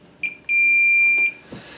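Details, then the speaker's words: 25-inch K7500 arcade monitor chassis, horizontal output transistor tested with a meter: steady unbroken high continuity beep on probe contact, HOT dead shorted. "okay negative and we touch here oh uh oh hey finally found something hot is dead"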